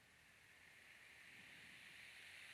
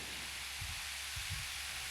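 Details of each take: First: 18-inch high-velocity fan, before oiling, started on low speed (about 0.87 A): soft airy whoosh building slowly over several seconds; fan sluggish to get up to speed. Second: Cross-ventilation fan after bearings cleaned and re-oiled to cure loud screeching, drawing about 1.3 A: soft, even airy whoosh with no squeal or scrape; bearings running quietly.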